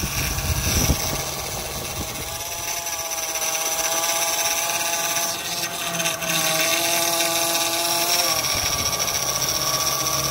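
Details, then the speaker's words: 2006 Acura MDX at cold start idle: steady high power steering pump whine, dipping and rising as the wheel is turned; caused by faulty seals rather than the pump. "This is cold start, and I'm not sure if you can hear that whine noise."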